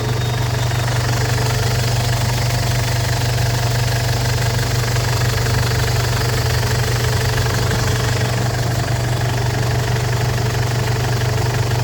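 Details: Ford Everest diesel, previously a no-start, after replacing timing belt, glow plugs and rocker arms: even diesel clatter at steady idle with firm low hum, no misses or loud knocks. Normal idle.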